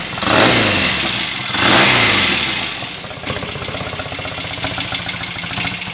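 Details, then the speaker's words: Royal Enfield Interceptor MK1 twin after carburettor re-setting (25 pilot jets, 380 main jets, 3.5 cutaway slides): two sharp throttle blips drop cleanly without spitting back or hesitation, then an even idle; carburation sounds right. "seems to run quite nicely now without any source spitting back and hesitation pending another test ride of course"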